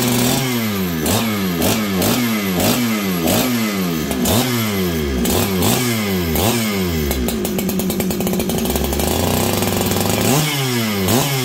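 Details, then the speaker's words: Farmertec 288 kit chainsaw with throttle blips during an oiler check, then a steady high idle. Crisp revs and clean throttle response; running well, tuned slightly rich. "this is a good running saw I think I have it a little Rich right now"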